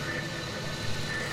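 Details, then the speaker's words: Cheap Harbor Freight drill bit giving out while drilling holes in a part for a PMR #5 "Coke Bottle" steam engine kit; steady machining drone with a thin high squeal, the drill bit failing in the cut. "so I'm using this one but that doesn't sound good and yeah that's the end of that drill"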